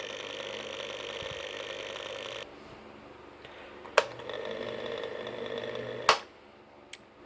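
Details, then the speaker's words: Sanyo desk fan motor after fitting a new washer spacer: loud buzzy whir with a hard rattle like a chainsaw for a couple of seconds, then motor cut and a few clicks; noisy spacer suspected, though the old spacer didn't work either. "Well, let's put it back together. New spacer sounds like a chainsaw."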